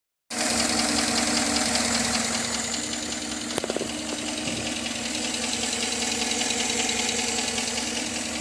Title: Tahoe still noisy after lifter replacement